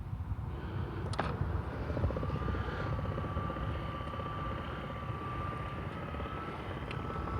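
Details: Chamberlain LiftMaster LA400 gate operator after repair with new motor kit and control board, closing while the closing limit is set after the open limit is saved; steady mid-pitched motor hum, smooth: normal gate operator running.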